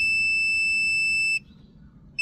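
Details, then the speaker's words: A/C unit with 240 V supply and one blown fuse: continuity tester gives a steady high tone from a compressor terminal to ground, showing an electrical short. Compressor winding shorted to ground; compressor or whole unit needs replacing. "you hear that bit sadly it's bad compressor needs to be replaced or the whole unit needs to be replaced"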